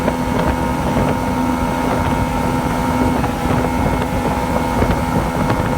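Outboard idling with uneven popping beats and a rising-falling speed through some wind; it is misfiring and surging.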